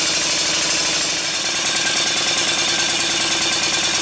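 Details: Stuart 5A model steam engine on a high-speed run: fast, even chuffing at roughly three beats a second with a steady hiss, smooth and consistent; valve timing sounds well set.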